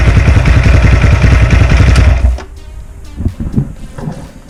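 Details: Lifan JR200 single-cylinder motorcycle engine, after a crash, investigated for a foreign knock: thumping with a steady hard knock about three or four per second even at idle; piston slap in a scored bore; somewhat quieter after reassembly.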